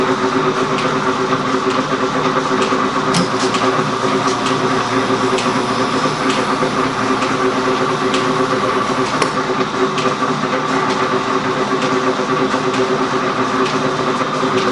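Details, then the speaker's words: Gould & Eberhardt 24-inch heavy duty shaper (1912 patent date; owner guesses 1912–1930), on a test run just shifted into back gear, so the stroke slows considerably. Slow, steady ram clack over an even belt hum, nothing knocking or grinding: normal running in back gear. "Okay, so what I'm going to do now is I'm going to shift it into the back here, or what I'm calling back here. All right, and the stroke, you're going to see the stroke's going to slow down considerably."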